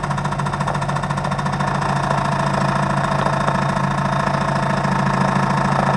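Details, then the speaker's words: 2005 Chevrolet Tahoe with a new power steering pump: steady knock about three to four times a second over the idle when the wheel is turned or the brake pressed, growing louder as the fluid warms. It vanishes when revving and persists after replacing the valve and steering gear and bypassing hydroboost. "собственно какой имеем стук сейчас услышите когда запускаем ступни проявляется не слышно но только начнем поворачивать рулем либо нажимать на педаль тормоза"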